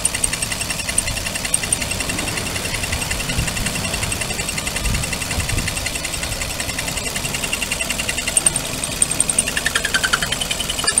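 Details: Suzuki petrol car idling: thin high whistle and fine rapid ticking when the clutch pedal is pressed, from the clutch release bearing on the pressure plate starting to whistle.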